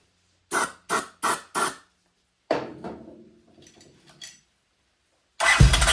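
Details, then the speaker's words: 1979 Honda CX500 being started after replacing missing hardware and fitting the throttle sleeve: five short cranking bursts, sputters, then it catches roughly with a big smoke cloud, sounding like it's drowning; hard starting, carbs suspected, not confirmed. "it sounded like it was drowning and a little bit there"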